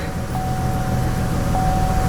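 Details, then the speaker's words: Vortec 4.2 L inline-6 just started after a tune-up with a new air cleaner; the owner suspects the mass airflow sensor may be the wrong one. High, uneven idle with a lumpy low beat and stumbles; cylinder 2 was misfiring. "She seems a little rough at idle. We have a higher idle than before. She seems a little rough."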